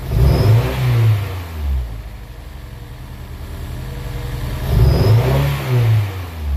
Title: Misfiring S2000